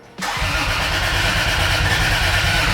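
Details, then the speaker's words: Turbo Lexus IS300 start attempt with the injector turned off: fast, even cranking for over two seconds without catching, cranking but getting no fuel. "I've got the injector turned off. That'll do it."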